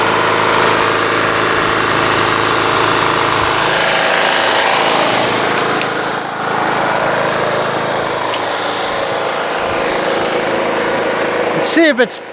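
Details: Toro Wheel Horse 1238XL lawn tractor after carburetor replacement, restarted by jumping the busted solenoid: small petrol engine holds steady even idle, no misses or surging; charging battery at 13 volts and rising.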